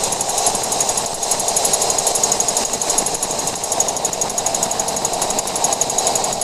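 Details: 2014 Jeep Wrangler JK: sharp, high-pitched clicking about four times a second above 50 mph at highway speed; continues after replacing both rear axles and checking the differential gears; source still unknown.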